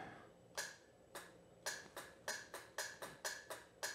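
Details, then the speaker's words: 1982 Honda GL1100 Goldwing, sat unused over 12 years: about ten sharp single clicks over four seconds with no cranking; starter solenoid clicks but starter motor does not turn, brushes to be checked. "Our solenoid clicks. But no starter motor. The good news is the starter isn't trying to work and not working."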